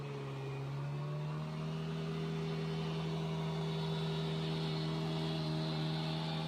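Steady, even engine drone at constant pitch, no misses, knocks or rattles; the scooter engine is running smoothly.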